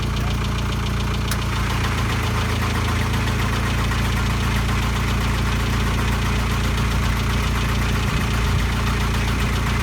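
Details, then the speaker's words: VW T4 diesel van that sat for four years, during a fuel system overhaul: heavy, even starter churning with no firing; no fuel reaching the injectors, and the fuel stop solenoid is suspected faulty. "okay so we turned it over there's no fuel getting to the injectors so you think the fuel stop solenoid might be out"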